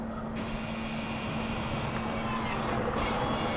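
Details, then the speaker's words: Audi with ignition in accessory mode after brake pad replacement, electronic parking brake recalibrating via service mode; steady electric motor whirr for about two and a half seconds, then stops cleanly; normal recalibration. "what it's doing is it's recalibrating my parking brake so it's finished correctly good looking good"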